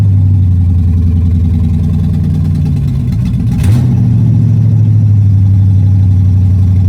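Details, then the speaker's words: Pontiac Strato Chief with original straight-six, after fitting a new home-built exhaust, running better than last start though previously overheating: deep, steady burble with one quick throttle blip settling back; engine running smoothly. "this thing I don't know if you can hear me but this thing's running quite a bit better than it was uh last time I had it started so that's nice"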